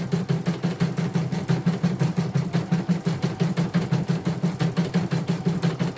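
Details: Portable embroidery machine shipped from Sekayu, South Sumatra with complaints of no embroidering, blank screen, hoop not positioning and dead touchscreen; run after mainboard work, presser foot lowered, sped up, one colour: steady even clatter about three beats per second, no knocks or grinding; all sounds normal.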